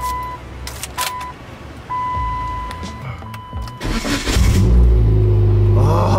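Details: Dodge Caliber SRT4 with a rebuilt engine and an upgraded ACT clutch, after the starter that made a grinding, clunking noise was replaced: a few chimes, then a quick even crank with no grinding or clunks before the engine catches and revs; the starter engages cleanly.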